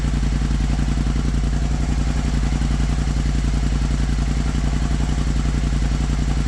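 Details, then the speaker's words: Kymco CV3 scooter after replacing the exhaust silencer, warming up at idle: deep, even, mellow thump with no rattles or misses. Quieter than the original exhaust but a nicer note; normal exhaust sound. "c'est un joli bruit quand même même s'il fait moins de bruit que l'origine et ben je trouve le bruit beaucoup plus joli"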